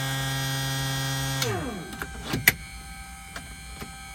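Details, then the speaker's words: Continental IO550 aircraft engine, cold start after ElectroAir EA21000 electronic ignition upgrade, left main tank selected: steady electric priming pump hum about a second and a half, winds down, then a few clicks; normal priming. "We're going to go ahead and just do a normal cold start, prime it, and uh fire it up here."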